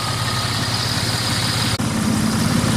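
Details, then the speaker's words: 1999 Dodge Dakota 3.9L V6 Magnum after idler pulley replacement, old pulley missing bearings: steady even idle with smooth low hum and no chirp or squeal, belt tracking straight; normal idle. "everything looks like it's lined up correctly so let's test her oh that's much better"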